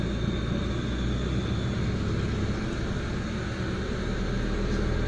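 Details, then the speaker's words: Proton Waja MMC with the returned idle stepper motor, cold start before base timing set: steady, even raised idle, no stumble; normal cold fast idle. "Tengok IP K start 100 aa 1400 1000 a 300. So RPM pun ada naik dekat sini."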